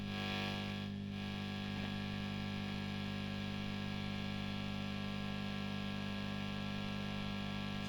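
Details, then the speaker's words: Heavily gigged JMI-era Vox AC30 just switched on before service: loud, steady low mains hum with no playing, attributed to aging filter capacitors. "yep as you can see it's got quite a bit of capacitance home on"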